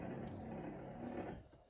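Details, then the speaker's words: Triumph TR7 restoration, electrics tested without engine, wiper motor after repair of one side: quiet even whirring with light mechanical chatter, winding down and stopping; wiper motor working properly. "So you can hear that's the wiper motor going turning"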